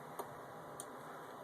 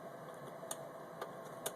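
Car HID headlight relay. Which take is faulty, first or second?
first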